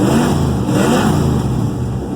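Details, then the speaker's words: 1963 Oldsmobile Cutlass F85 V8 on a drive after the cracked exhaust Y-pipe was repaired at the split up front, pulling through the revs with a deep, even burble and no ticking or puffing; healthy exhaust. "boy it sounds really good"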